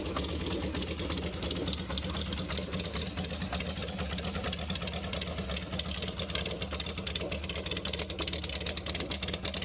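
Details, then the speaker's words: Honda CB550 Supersport cafe racer, cold engine, one carburettor choke on: busy but steady cold idle, even exhaust beat, light valve ticking, no knocks; healthy four-cylinder. "This is a cold engine. I'm going to turn at least one of the chokes on, and let's start it up. It's a bit cold right now."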